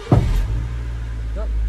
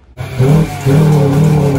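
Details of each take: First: Honda Civic EK with bogging and bucking from fuel surge after a new fuel pump; after fuel tank replacement, in neutral with almost no petrol, it cranks briefly, catches first go and settles into steady, even low idle; normal start. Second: Honda EK Civic accelerating: the engine pulls, then jolts and stumbles with a big fuel surge after a new fuel pump was fitted. The owner suspects the pump or the fully rusted tank clogging the filters; the planned fix is a new pump and tank.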